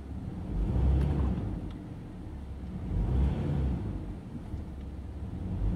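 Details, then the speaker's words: 2009 Toyota Tacoma running rough under load: during brake torque the engine rumbles and surges with an uneven stumble, an occasional cylinder 3 misfire, traced by current ramping to a failing ignition coil. "it's running rough under load uh looking at the data list you can see that when I brake torque it occasionally get a cylinder 3 misfire"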